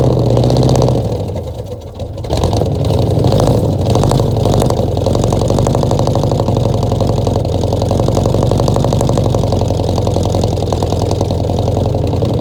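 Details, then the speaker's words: 1966 Ford F100 V8, first start in 17 years, bottle-fed fuel through carburetor, no coolant: deep idle stumbles with an uneven, lumpy beat, dropping pulses, a definite misfire; owner doubts it would idle even with a correctly set carburetor. "But she almost tried to idle. She got a definite miss. If the carburetor was set up right, I still don't think it would idle because it's got a bad mess."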